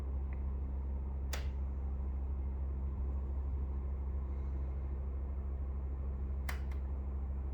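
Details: Brand-new Pioneer 9000 BTU 240V mini split running: steady low fan hum with sharp snapping clicks a few seconds apart; lots of clicking from the unit, cause unclear.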